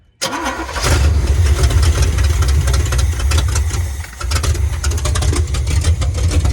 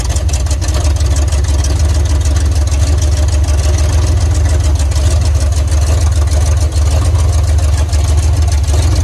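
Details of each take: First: 1980 Chevrolet Silverado 30 series big block (assumed 454), sat for years: the old carburetor isn't squirting, so it runs roughly on starter fluid and sags. Fuel isn't getting through, so the carburetor will be replaced. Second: 1980 Chevrolet Silverado 30 series big block (assumed 454), sat for years, after fitting a rebuilt, engine-tested carburetor with the throttle set up slightly: a deep, steady V8 idle with no stumbles, misses or ticking. It runs healthy.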